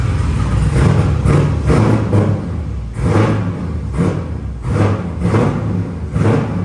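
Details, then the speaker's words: LS V8 swapped Nissan S14 with custom straight pipe exhaust, in neutral at idle; loud lumpy burble with uneven pulses about once a second, runs too rich and smokes, tune needs adjusting. "that's when we need to go see turbo mic yeah so he can adjust the tune cuz it runs too rich right now too much fuel"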